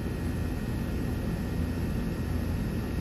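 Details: 2009 Trane condenser with a TXV, previously not cooling with a non-functional compressor, running after repair: even low whooshing fan and compressor rumble, no knocks, rattles or squeals; running smoothly.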